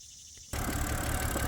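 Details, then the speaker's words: Salvage non-running 2007 BMW X3 after harmonic balancer repair, engine cover off, running about 10 minutes: rough, lumpy, stumbling idle from a major misfire; plugs suspected; no smoke otherwise. "Alright, so it's been running for about 10 minutes, and besides the major misfire that it has, it seems to be running fine, no smoking or nothing."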